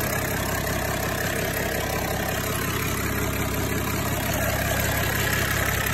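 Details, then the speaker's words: 6030 tractor started after injector leak-off hose work: starts right up, steady even diesel idle, about three pulses a second, no knocks or misses; normal idle. "all right stop right up good time it makes you know that everything's on right and everything"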